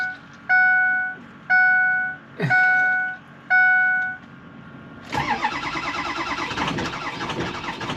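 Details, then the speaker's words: 6.0 Power Stroke diesel with 200,000 miles, cold start at about 50–55°F without block heater plugged in: four one-second cranking bursts with whining starter, then fires rough and loud; hard starting, long cranking. "This is what a 200,000-mile Power Stroke sounds like when you try to start it without plugging it in."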